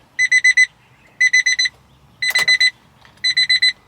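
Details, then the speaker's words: A high dash chime repeats in quick bursts of four beeps about once a second on a kei mini truck being diagnosed for long cranking and rough starting. The key-in-ignition reminder chime relay is intermittently receiving power, the first time the owner has heard it. "super weird development um relay that lets you know your key still in the ignition that is the first time that's ever let me know wow that is Bizarro that is literally the first time I've ever heard that kick on since I've owned the"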